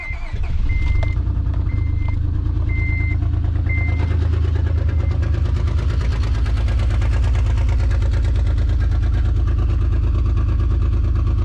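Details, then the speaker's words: Acura TL base (04-06) 6-speed engine started after driving home smoking, not overheating; owner suspects piston rings gave out: heavy, loud low rumble settling into rough uneven running; cause unconfirmed. "Give it a little while. And it sounds super loud too."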